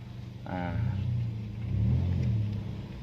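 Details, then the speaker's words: Toyota Yaris automatic on a road test after the loose lower-arm bushing bolt that caused front-wheel clacking when moving forward or reversing was fixed: a steady low road rumble with no clack or knock from underneath; the suspension is now tight. "kita cek Wah untuk Kakinya udah enak sekali ini udah enak sekali ini untuk Kakinya udah enak sekali ini"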